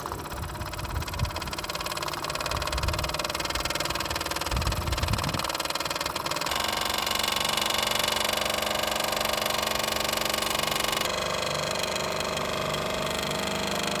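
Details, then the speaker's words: Brand-new 2019 Mamod SP4 live steam engine on its first ever run after oiling, boiler filling and burner lighting: steady hiss with quick even chuff about four beats a second, no knocks or misses; runs smoothly. "You can already hear it starting to come to life. And there it goes. For a first run, that's actually pretty"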